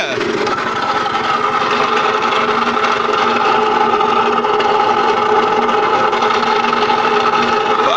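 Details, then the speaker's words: Puch Mini Maxi two-stroke on premix, fresh transmission oil warming up, oil pump apparently not working: steady high buzz with a harsh, uneven mechanical rattle. Possible rubbing in the mag cover, but the noise seems to come from higher up. "well still sounds terrible I'm gonna let it run for a bit so that new oil heats up a bit and moves around"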